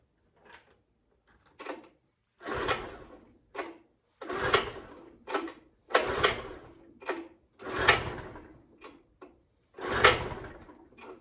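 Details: 1980s Honda 650 generator on a truly cold start with the choke on, before carburetor mixture adjustment: about ten quick recoil pulls with no catch or run; hard starting, likely fuel-related.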